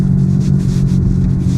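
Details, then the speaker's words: Ford Focus at about 30 mph with the gearbox in neutral: a strong, steady droning whir inside the car. It is likely a worn wheel bearing, though the gearbox was also suspected. "but yeah, it's got quite a strong wheel bearing noise. Hopefully you can hear that whirring away."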